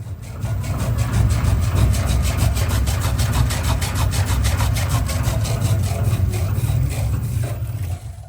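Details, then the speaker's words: Lamborghini Huracán BWI magnetorheological shock absorber on a dyno bench before repair: steady rhythmic knocking, about three a second, over heavy rumble at higher speeds, from a worn O-ring letting nitrogen mix into the oil and foam it. "There’s a gas chamber here, filled with nitrogen, separated by an O-ring. This O-ring seals against the shock tube to prevent gas from mixing with the oil. But since the oil is abrasive, the O-ring wears out quickly, and gas gets into the oil, creating foam."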